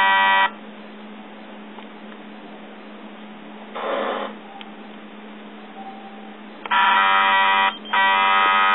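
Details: Yongnuo YN568EX flash: harsh electric buzzing in short bursts as the stuck zoom motor strains but cannot move; usually worked fine, so the unit was returned.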